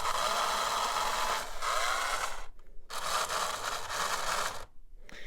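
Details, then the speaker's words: 1950s AHM HO-scale locomotive on 12 volts of track power, wheels refitted, missing traction tires: loud, even high-pitched whir in two bursts with clean stops; the motor sounds rowdy but healthy. "But you know what? It's got a pretty rowdy motor in there. That sounds like it's quite healthy, actually."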